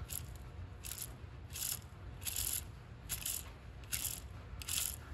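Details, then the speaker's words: Cadillac CTS-V GM LS transmission internal slave-cylinder throw-out bearing spun by hand: gritty, scratchy rattle about once a second; bearing noisy, suspected to contribute to noise alongside a slipping clutch; cause not confirmed. "this throughout bearing had some some play like this but the new one does as well but it's noisy so i'm thinking that can be a contributing factor to my issue"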